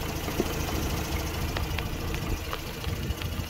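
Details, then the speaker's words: 2006 Mazda RX-8 rotary with hot-start trouble (low compression from failing apex seals suspected), heard at a lumpy, uneven warm idle with occasional stumbles. Picoscope coil tests look similar, so a misfire is not blamed on the ignition; rough idle. "okay so you can hear the lumpiness that's fine the first lead next lead"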